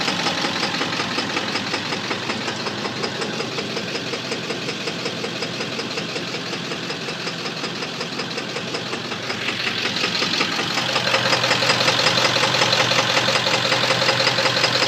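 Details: 7.3 engine: sharp regular knocking near three per second over the idle, rising with revs; engine knock, cause not identified.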